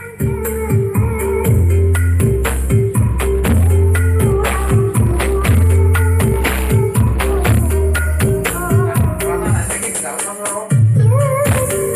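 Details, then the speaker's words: Polytron PAS 8B28 speaker, two months old, after repair: buzzing and rattling came from the loose-fitting plastic speaker mount on the front panel. Music now plays clean and full with steady bass and no buzz. "yes, his voice is solid and there's no buzz anymore."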